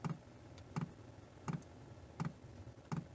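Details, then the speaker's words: Chinese diesel heater fitted in a 1988 Toyota Hiace campervan, priming at 5.4 Hz pump setting while warming up: steady, evenly spaced soft ticks of the fuel pump, normal, with a fairly noisy exhaust. "hear that clicking as you can hear it's quite noisy in the exhaust"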